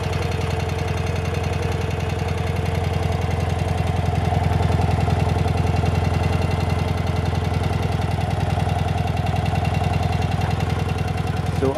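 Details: 1972 BMW R60 boxer twin idling, clutch worn and due for replacement (slips when cold): steady, even low thump about two and a half beats a second, no knocks or misses; idle healthy.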